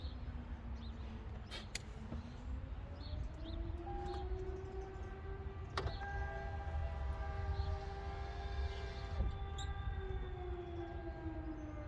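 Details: 2010 Toyota Camry XLE driver-side power window tested with the door panel removed after the owner heard a noise while opening it: clean motor hum rising and settling smoothly, no rubbing or scraping; window works normally.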